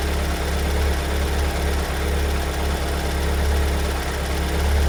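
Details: 2022 Kia Sorento MQ4 2.2 diesel at cold-start idle: deep rumble with a loose, uneven knock about once a second, appearing after two weeks in dealer service and returned as fine; the cause is unclear.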